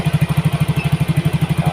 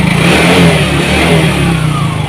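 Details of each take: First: Yamaha Mio GT injected scooter after injector replacement and CO trim cut from 15% to 7%; mixture balance now right. Even, steady single-cylinder putter, no misses or hunting; normal idle. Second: Yamaha Mio GT fuel-injected scooter, hard starting, won't hold idle, before injector replacement: small single revving unevenly under held throttle, choppy and hunting; fuel pump not weak, injector dirty and clogged (injection 2.5–3 ms, trim adding 7.7–7.8%).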